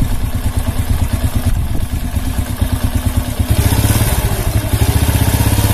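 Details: Honda C100 single-cylinder with rough engine noise and sluggish pickup: harsh gritty clatter over low thumping idle, growing with revs; cause not confirmed, cam chain and clutch under inspection.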